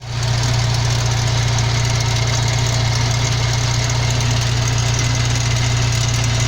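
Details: 1992 Jeep YJ idling: steady low hum with a fast, loose rattle riding on it, owner suspects the transfer case; drivetrain rattle at idle, not confirmed.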